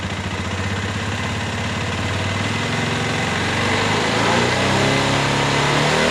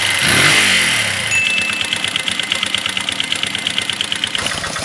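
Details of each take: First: Flood-damaged Minerva MX 150 after a full rebuild with a new standard Megapro piston: an even single-cylinder idle that revs smoothly, fairly smooth compared with before; a vertical-piston engine cannot be 100% smooth. Normal running. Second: Flood-damaged Minerva MX 150 before teardown, rusted cylinder liner at ring positions, previous shop suspected of not honing it: rough idle with rapid uneven metallic tek-tek tapping, clicks and whine, like piston slap.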